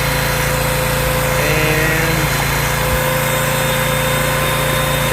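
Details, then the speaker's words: Generator found in the garbage and repaired, running under load from a vacuum cleaner with output dropping to about 100 volts. A steady, even engine drone with a faint hum that holds speed firmly; the engine runs strong and sounds good. "it is dropping to about 100 volts a little bit over but she's running pretty strong engine sounds good"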